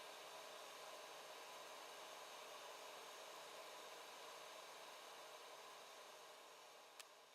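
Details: After the fix, the 3D printer's 24V-to-12V buck converter has a new 80 mm Silent 8 fan replacing the noisy AMD CPU fan: a soft, even airy hiss with no rattle or buzz, so the fan runs quietly and healthy.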